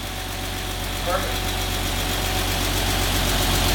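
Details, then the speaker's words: 986 Porsche Boxster after an engine swap, prepared for its MOT: smooth, even flat-six idle with a steady low drone and no puffing at exhaust joints, judged to sound good; a ticking sound is questioned afterwards. "that actually does sound sweet sounds good"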